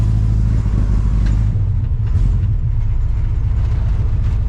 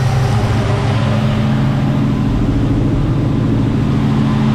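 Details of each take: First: 1975 Chevy C10 454 big-block V8, carbureted, B&M floor shifter: deep, uneven, lumpy rumble; runs rough. Owner blames the carburetor, which needs cleaning again. Later cleaning found sand in it, and the spark plugs were replaced. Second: 1975 Chevy C10 with 454 big-block V8, carbureted, just after a new fuel pump restored fuel delivery: deep, steady idle with an even low rumble, no misses, knocks or stumbles; normal idle.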